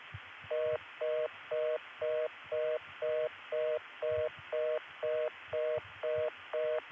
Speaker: here's the kind of reorder I would have gotten had I stayed on the line with Garden City